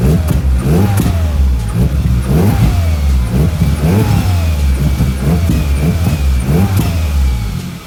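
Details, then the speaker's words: Hyundai Elantra stock engine with big turbo, new V-band clamps fitted on exhaust, checking for exhaust leak: repeated quick throttle blips rising and falling cleanly, no puffing or ticking; no leak, fuel pressure 70, normal. "Alright, now I'm gonna be starting the car. I already put the clamps. I need to check if there's any exhaust leak."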